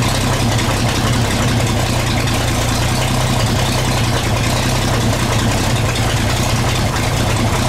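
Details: 1934 Chevrolet 1.5-ton truck, first run after about 70 years, cleaned carb, sanded points, fresh gas, 6-volt battery, about 15 psi oil pressure: steady low rumble with even, unbroken beat, no knocks or misses; normal idle.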